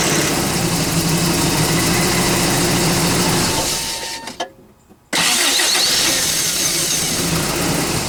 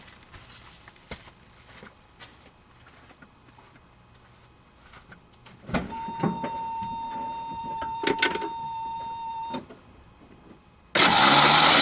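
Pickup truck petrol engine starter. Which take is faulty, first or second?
second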